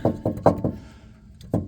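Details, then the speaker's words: 2002 Toyota Prius: sharp metallic banging, four or five a second, like hammering under the car; detached vibration damper (harmonic balancer) on the CV axle slapping; CV axle good, damper cut off. "you'll be driving along and you hear this thumping rattling clanging banging noise it sounds like somebody's hitting the bottom of your car with a hammer but what happens is the harmonic balancer on the CV axle gets separated"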